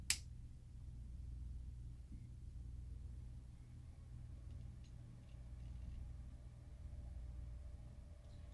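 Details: Older PATA hard drive on a PATA-to-USB adapter, which another shop couldn't read: quiet low hum as it spins up with no clicking heads, then mounts; normal spin-up.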